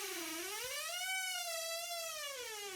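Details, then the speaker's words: Squeaky master bathroom door hinge: a long, wavering high-pitched creak as the door swings slowly open, caused by a dry hinge; fix is lubricating the hinges with an edible vegetable oil spray. "that really annoying creaking sound so if you have a squeaky door you can oil oil these you can oil these squeaky hinges to make the squeaking stop"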